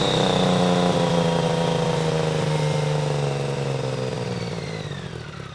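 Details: BMW K75 RT after new fuel injectors, cleaned air filter and oily spark plugs replaced, still a bit cold: smooth rev rising cleanly then winding down evenly, no misses or stumbles; running normally, better than before.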